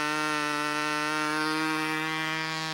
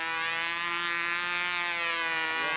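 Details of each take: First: Glow engine on a U-control (Windy U Master) plane: high steady buzzing holds even pitch without sag, then settles slightly lower; sounds about right, properly tuned and running clean. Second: Glow engine on a U-control (Windy U Master) plane in flight: high thin scream climbs and wavers through the pass, going lean for the whole maneuver; going lean on outside maneuvers means the fuel tank shim needs adjusting.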